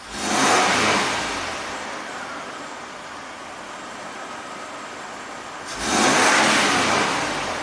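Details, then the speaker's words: 2002 Toyota 4Runner SR5 4WD, 3.4L 5VZ-FE V6, 175,000 miles, hard hot-start complaint: two throttle blips where revs rise and fall slowly; fuel pressure about 30-32 psi drops to 25 on snap throttle and bleeds down after shutoff, pointing to fuel delivery. "it drops to 25 on a snap throttle and that the engine doesn't rev as fast as it should"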